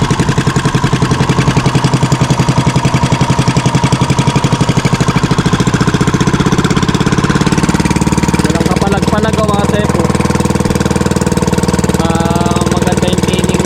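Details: Fishing boat (bangka) engine after fixing a misfire and securing the shaft: steady even beat with a firm low thump, no misses or knocks; running smoothly.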